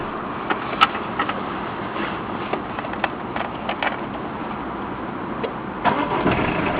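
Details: Citroen BX when accelerating; rough raspy hiss, not like escaping air, over the engine under throttle, seeming to come from the footwell, source unknown; poor audio; raspy hiss under acceleration.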